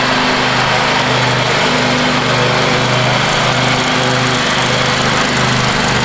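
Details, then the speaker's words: Free Craftsman riding mower, reportedly quit running, now cleaned and power washed, mowing the front yard with the deck down: a smooth, constant buzz that holds speed under cutting load with no surging, popping or knocking, and it shifts well. Normal, healthy running. "running pretty sweet right now. I really can't complain at all. For free, this thing's just turning into like a little sweetheart."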